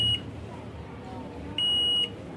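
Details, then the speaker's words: Assembled CRT colour TV on a China kit, picture fine but sound crackling and humming: a clean high-pitched beep cuts in twice over faint speaker hiss, a stray tone in the audio; the audio section appears dead. "तो audio में यह beep की आवाज आ रही है आप सुन सकते हैं बी की आवाज इस ऑयो में बीप की आवाज नहीं आनी [संगीत] चाहिए ठीक है यानी ऑडियो सेक्शन शट हो चुका है"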